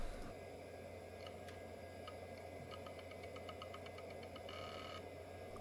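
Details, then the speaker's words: Roughly 30-year-old Quantum Fireball IDE hard drive (1 GB, auto-detected by BIOS): proper initialization sound at power-up, a quiet steady spindle hum with a short run of light regular head ticks as it settles. Normal start-up. "proper initialization sound let's see if it gets Auto detected indeed it does"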